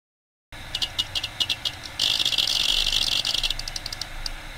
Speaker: it may be difficult to hear if you ever go into a server room with a lot of hard diss you will get used to hearing this light buzzing noise it is the sound of the hard disk doing what it is designed to do